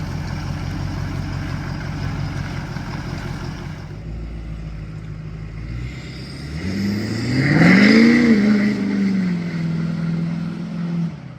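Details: Ford 6.7 Powerstroke diesel truck after the CP4-to-DCR pump conversion: idles, then pulls away hard with a clean, rising roar and eases off, with no knocks or stumbles. Runs great.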